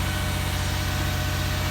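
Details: 2006 Toyota Sienna 3.3 L, test start after alternator and starter replacement on a high-mileage engine: smooth, steady idle with an even low pulse and no knocks or belt squeals; normal, healthy idle.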